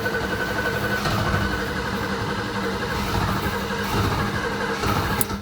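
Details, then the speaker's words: BMW E30 being cranked, first drive attempt: steady starter churning for several seconds, engine never catching; owner suspects no ignition spark, cause unconfirmed; cranks but will not start. "je dois pas avoir d'allumage c'est pour ça qu on galère"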